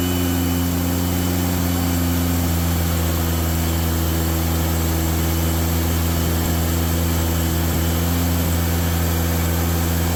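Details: Rebuilt VW 40HP air-cooled flat-four on first start after a fuel pump swap: rough running with a low drone and an idle that won't settle. It needs carburetor tuning; the owner suspects a loose cap or the distributor. Unstable idle.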